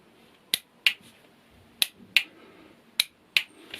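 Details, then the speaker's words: Motorcycle starter system wired on a bench to a real engine: when the button is pressed, the starter solenoid's T-shaped plunger strikes its two internal contact bolts, giving three pairs of sharp, dry metallic clicks; it is engaging and releasing normally. "you're hearing, that clicking noise, is actually that T-shaped piece of metal. It's moving upwards. Okay, when it knocks off the two bolts inside, it makes that clicking noise."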